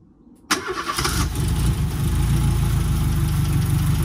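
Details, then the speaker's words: Restored Renault R5 Alpine Turbo petrol engine with rebuilt carburettor and turbo, restarted, accelerator cable not yet fitted; catches at once and settles to steady even low idle, runs round though owner unsure it's right; normal idle. "démarre voilà il tourne rond mais appiori c'est pas forcément bon"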